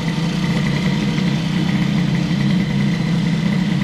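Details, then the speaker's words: Airsal T6 65 two-stroke moped with Stradivario sample, just started and warming, choke off: idle with constant tinny metallic buzz, the silencer's inner tube broken and rattling. "Bon, ce bruit de pot est vraiment dégueulasse. C'est une véritable horreur."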